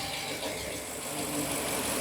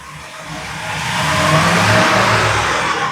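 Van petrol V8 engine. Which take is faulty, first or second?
second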